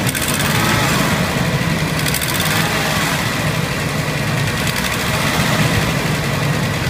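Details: 1992 Buick Roadmaster wagon, 5.7 V8, 195,000 miles, cold start after sitting a week or two: uneven chugging idle with faint quick tick, worse under load while driving; owner suspects exhaust leak despite replaced exhaust manifold gasket; good oil pressure.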